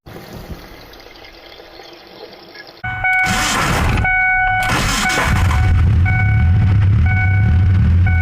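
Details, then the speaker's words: 2001 Ford Ranger, rebuilt 4.0 engine after sitting 2.5 years, first start after adding half a gallon of fuel (tank was empty): catches and settles into a steady, even run, low rumble, no knocks or ticks; needs coolant, has oil, sounded good. "I know it's got oil. I mean, it sounded good."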